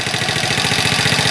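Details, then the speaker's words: Chinese ATV single-cylinder engine just after starting on choke, following spark plug work: quick, even putter with steady beat, no knocks or misses; idle set well, normal. "whoa wat it sounds like the idol set pretty good"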